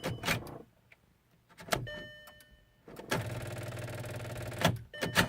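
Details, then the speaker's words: VW Passat 2.0T that cranks but won't start, recently slow to start; owner suspects fuel pump regulator: several short stuttering crank bursts with pauses, then catches and runs briefly; extended cranking before start. "okay so now we're going to go ahead and press the button it's cranking nothing so click click click click"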